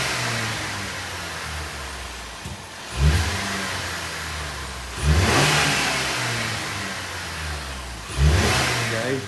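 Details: Ford Maverick engine just after swapping in a new K&N air filter: three clean throttle blips from a smooth idle, each revving up and settling back evenly; normal, healthy engine and intake.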